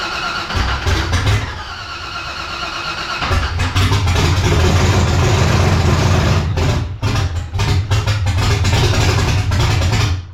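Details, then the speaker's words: 1984 Cutlass G-body, procharged LS swap on Holley Terminator X EFI, idle screw turned up: V8 cranks and catches, runs rough and uneven a few seconds, then stumbles and dies; won't hold idle, owner suspects throttle body air starvation. "yeah, but we got to open up that throttle body, I think, because it's definitely not getting enough air."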